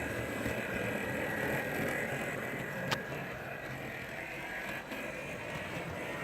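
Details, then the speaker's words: Atlas GP39 model train locomotive, nearly brand new, running on track: fast gritty ticking whir about three clicks a second over motor hum; excessive, horrible gear noise, louder than a Walthers Mainline GP9. "there's a lot of gear noise in it I hope you guys can make it out because it's actually kind of horrible"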